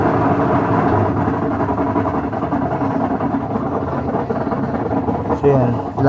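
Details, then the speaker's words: Whirlpool top-load automatic washing machine, old unit, spin-dry test: loud, rough droning rumble with uneven churning beat; technician says noisy spin dry is the usual gearbox problem on these Whirlpools. Noisy spin cycle. "Ay ganyan po ang laging problema, maingay sa spin dry. Kapag ganito po na Whirlpool, lagi pong ganyan ang nagkakaproblema yung niya. Gearbox po."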